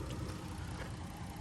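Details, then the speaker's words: Rebuilt salvage-title vehicle with a 3.2 L V6 and 130,000 miles, after radiator and condenser replacement and no dash lights: low, steady, even idle hum with no knocks, ticks or misses; the engine runs very quiet. "motor runs very quiet is it it is a 3.2 L V6"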